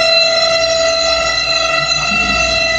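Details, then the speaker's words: Toshiba VH-J120MM semi-automatic washing machine on the spin timer, wash side tested fine: loud, steady high-pitched squeal during spin with no knocking underneath. Spin seal squeal. "Boleh dengar tak? Mesin mengilai. Supply lah. Ini kalau malam-malam jiran pun boleh jadi takut ni."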